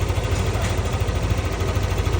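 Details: Motorcycle showing 25 on the odometer, idling after a ticking complaint that repeated rocker arm replacements failed to fix: even, steady low pulse with no ticking or knocking, now normal and smooth.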